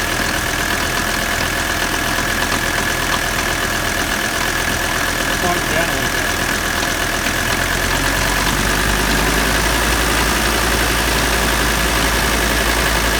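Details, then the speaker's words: 1985 Mercedes 300D diesel idling during AC recharge on second can: loud busy rattle with steady whirring; compressor getting noisy and sounding rough though cooling, owner doubts it will last. "Compressor's starting to get noisy. It may not be any good. It doesn't sound too good. It's cooling, but it doesn't sound good."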